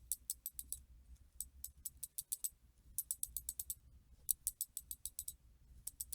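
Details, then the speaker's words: Chinese screw-in Shimano 7-speed bicycle freewheel after full teardown, lube and reassembly, coasting after a kick: crisp, light ticking in quick runs of several clicks, even and clean; healthy pawl engagement. "and the clicks also are very very cool to hear"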